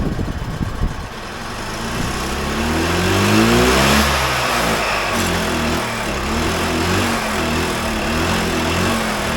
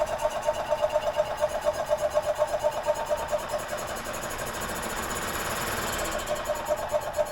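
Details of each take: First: 2001 EZGO TXT gas golf cart, formerly seized engine, after fuel fed into the carburetor and choked: small chugs, revs up and down smoothly, then holds a steady even beat; now running normally. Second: 2001 EZGO TXT gas golf cart, previously seized engine, spark good, 12-year-old fuel added: uneven cranking pulses about two per second with a brief rougher stretch, but it won't fire; owner suspects a fueling issue.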